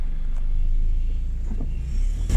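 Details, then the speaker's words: Honda Fit/Jazz CVT, warmed up, after treatment with Xado EX120 for take-off shudder: a smooth, deep engine rumble pulls steadily up the steepest part of a hill with no judder or surging. The shudder is gone. "okay that has gotten rid of the shutter that's pretty cool"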